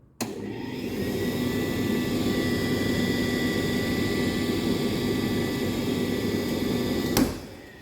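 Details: Indesit IDC 85 8 kg vented dryer after repair (drum had not rotated, only humming; faulty belt replaced): steady even motor hum with soft drum rumble from start to switch-off, no scraping or squeal; drum now rotating normally.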